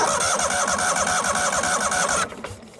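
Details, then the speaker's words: 1998 Yazoo YTKC22 three-wheel mower cranking with the fuel line disconnected: quick, even cranking pulses for two seconds but no start; no fuel reaching the carburetor, needle and seat suspected stuck closed, and water later found in the fuel. "I'm just going to crank it over real quick I have the fuel line disconnected and as you can see there's no fuel there so pretty certain needle and seat is totally closed"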